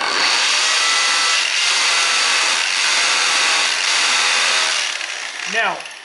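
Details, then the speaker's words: Hammer drill with masonry bit boring into stone at faster speed after marking the hole: harsh, high buzzing hammer action pulsing about once a second as the operator presses and pulls back slightly to clear dust; normal drilling. "I'm sure you hear that sound going, and that's because I'm applying pressure and pulling back just a bit."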